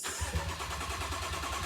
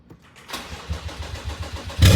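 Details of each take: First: Crash-damaged BMW M135i F20, first start attempt after sitting 7 months: steady rapid starter chugging for about two seconds with no catch. Cranks but won't start; the issue persisted and fuel sensors were later replaced, cause not confirmed. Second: Crash-rebuilt BMW M135i F20, first start in seven months after the fuel pump was heard priming: steady cranking for about 1.5 seconds, then it catches cleanly and settles into a strong, even idle; normal engine start.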